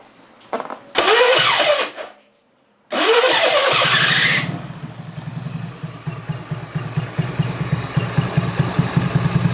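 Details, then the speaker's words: Honda Beat carburettor scooter over 8 years old with very high fuel consumption, at idle after a few cranking tries: a breathy, pulsing huff from the carburettor intake, like an air leak. The engine dies if the intake is covered, and a faulty automatic choke is suspected. "Nah, ada gejala suara yang nggak normal dari bagian karbunya. Dan untuk suaranya hos-hosan ya. Seperti hanya udara bocor ya, teman-teman."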